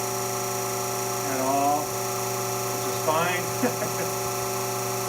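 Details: Becker VT 4.16 vacuum pump, built 2016, after about 2 years of shop use and cleaning: steady, even hum with no knocking or rattle; running normally.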